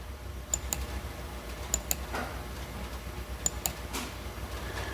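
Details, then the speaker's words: 2018 GM truck 5.3 with code P0446 and difficulty filling the tank, key in run: EVAP vent solenoid commanded on and off by scan tool, sharp paired clicks about every 1.7 s; vent solenoid later replaced. "venting is on venting is off so I think we're going to try see if that uh it's it's physically clicking you can hear it hope the camera's picking that"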